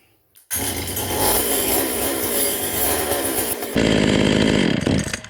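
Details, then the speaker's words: Vintage Stihl 020 top-handle two-stroke chainsaw: fires and races raggedly a few seconds then dies; starts but won't keep running, cause not yet found. "See, it just shuts off immediately. See that?"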